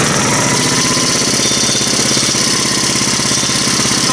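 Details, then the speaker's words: Small four-stroke engine, apparently the ice auger after servicing: fast, steady buzz at idle, noticeably quicker than a normal tickover; idle speed set too high. "like it's idling a bit high. Can adjust her down, why not?"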